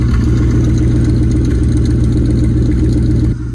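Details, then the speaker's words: 1963 Buick Special with aluminum V8 and new muffler-shop exhaust, driving: low, smooth, quiet V8 rumble, louder on throttle, with a transmission whine noted as common for these cars; no popping or ticking. "just enough to know it's running enough to know it's a V8 when you get on it it gets a little bit louder"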